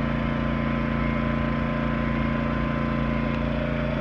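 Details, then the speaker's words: Yamaha 2000is inverter generator powering a trailer's 13,500 BTU air conditioner fan with Hyper Engineering soft start fitted, compressor not yet on: steady, fairly light hum, even beat around three per second, slightly tinny edge, no misses; normal running. "it seems in a way kind of quieter but I guess they just both make own kind of sounding just depends on which one you like they're both really [Music] quiet the Yamaha has a little bit tinnier sound"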